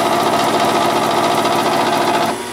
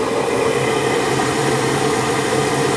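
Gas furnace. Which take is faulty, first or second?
first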